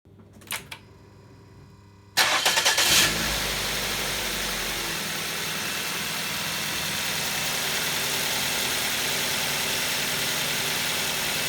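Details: 2nd-generation Ford Focus (2011), 2-litre petrol engine with automatic transmission, cranked and settling into a smooth, even idle. Normal reference sound before the coil on cylinder 2 is disconnected to demonstrate misfire.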